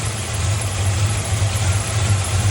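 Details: 1966 Chevrolet V8, running after a wet, non-firing spark plug was cleaned and wire checked, timing about 12 degrees advanced at idle: deep steady rumble with even beat, no misses or knocks; normal idle.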